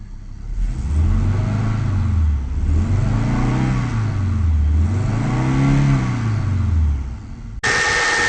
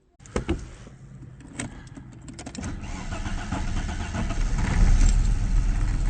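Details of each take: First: 1994 Audi 80 2.3 after head gasket repair, timing corrected from 180 degrees out, warmed up with cooling system bled: revs up and settles smoothly three times, even note, no misfires or knocks; healthy. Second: 1994 Audi 80 2.3, head gasket redone years ago, recent stutter on morning startup and white smoke: starter whirs, engine catches with stumbling uneven beat, settles to lumpy idle: head gasket appears blown again.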